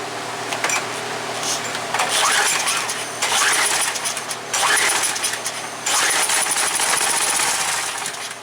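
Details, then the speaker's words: Craftsman pressure washer no-start, with brake cleaner sprayed into the throttle bore, half throttle and choke: repeated pulls, engine pops and fires briefly on the spray, so carburetor is likely plugged. "There she fired. So right here's the problem. I'm sure now it's probably plugged up in the carburetor."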